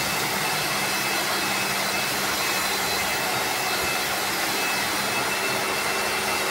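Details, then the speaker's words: Lakoni Laguna 70 pressure washer (70 bar, brushed motor) spraying: a constant loud hissing roar with a high buzzy motor note, noisier than other machines; the owner suspects the carbon brushes or low inlet water pressure. "not berikutnya adalah suara carbon brushnya itu agak lebih berisik dibandingkan mesin yang lainnya"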